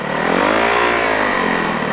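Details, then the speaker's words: High-mileage snowbike on a clutch check: the engine revs up and holds high with no power getting through. The owner suspects the clutch is slipping because the recluse is out of adjustment or the friction discs are fried; the clutch is to be pulled apart. "revving too much. I'm getting no power out of it, so I got enough to get me back home, so I'm gonna call that good."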